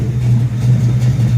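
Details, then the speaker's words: 1971 Dodge Superbee, non-OEM 440 V8, 4-speed manual, during pre-purchase inspection test drive: engine fires straight back up after shutoff with no dieseling and holds a strong, even low rumble with no stumble or knock; healthy. "Fires right back up. Sounds good."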